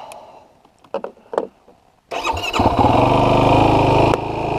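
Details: 2016 Yamaha YFZ450R SE after the throttle position sensor was adjusted to 0.81 to fix a factory bog and hard starting: a couple of clicks, then it fires first try into a steady, even idle, starting much faster.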